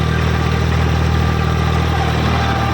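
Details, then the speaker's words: Eicher 557 50 HP diesel tractor at about 1600-1700 rpm in first gear with PTO engaged and rotavator, draft and position levers down: deep steady drone with an even low hum, no knocks; normal dual clutch hum. "अब जो ये घूंघ की आवाज सी आ रही है ना तो ये भाई इसकी ड्यूल क्लच की आवाज है।"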